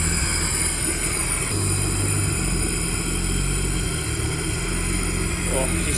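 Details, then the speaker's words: Nissan R33 sedan mid turbo conversion (45mm external wastegate, 1000cc injectors), first start after swapping fuel lines, intake not plumbed, smoky: uneven idle wavering and surging without settling; runs rough because the AFM is unplugged. "but it doesn't run very well one because the afm isn't plugged"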